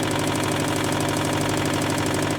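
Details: 2015 Subaru WRX STI, EJ257 turbo, before its first rebuild: rapid, sharp, regular deep metallic knocking through the idle from a worn rod bearing. Rod knock.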